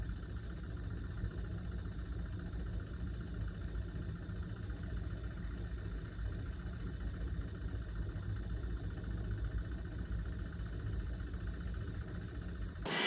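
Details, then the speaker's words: Maxxair roof fan in a camper van at slow speed, below 20% (10–20% setting): a faint, high chirping squeal pulsing steadily over a low hum from the failing fan motor, which was replaced with a new one under warranty. "Below 20%, it does make a squealing sound."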